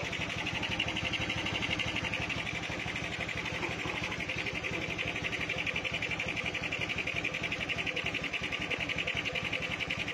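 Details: Honda Beat with standard engine fitted with a PE 24 carburettor during tuning: fast, busy putter with a hissy, uneven edge and no clean steady beat; mixture suspected too rich (wasteful), not confirmed.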